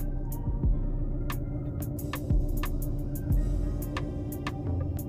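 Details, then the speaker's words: 2006 Mercedes-Benz E350, M272 3.5L V6, idling just after start with the check engine light flashing: uneven, lumpy idle with heavy thumps and vibration, running too rich. Codes P0300/P0305 indicate a cylinder 5 misfire. "you can hear that so that's system too rich at idle you do not want to be having that that is the cylinder 5 misfire that I'm talking about"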